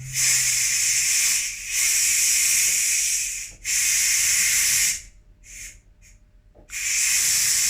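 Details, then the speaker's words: Ninja pressure cooker switched to keep warm, release valve on top turned right to vent during a test run: loud steady steam hiss in bursts, briefly dropping off then surging back. Normal pressure release. "What I have to do, I have to just turn it to the right to release the pressure. So I'm using that just in case. Can you hear that?"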